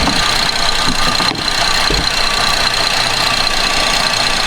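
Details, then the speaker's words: 2011 Buick Enclave 3.6 V6 that starts and stalls, no codes, idling with a connector plugged back in: irregular light knock about a hundred hits a minute, something hitting; intake cam phaser not locked. "man so I'm going to plug this thing in there's something hitting that cancer I can feel it"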